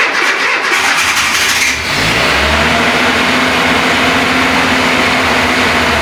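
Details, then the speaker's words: Renault Trafic with swapped C1J engine, cold start next morning: catches after a short crank, flares briefly, then settles straight into a steady, even idle, needing little fuel to start; normal idle after cold start. "j'adore je vais sortir le coupe il tourne sur au ralenti directement j'ai moins consommé juste pour le faire démarrer"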